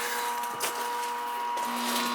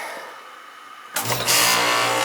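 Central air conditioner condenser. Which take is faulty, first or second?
first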